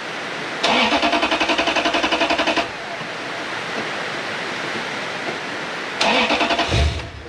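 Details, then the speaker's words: Lexus LS430 with its original ECU plugged back in after another ECU was aligned to the car: two bursts of even, rapid starter cranking with no firing. Crank-no-start from immobilizer lockout. "That's a hard no. That's a hell no."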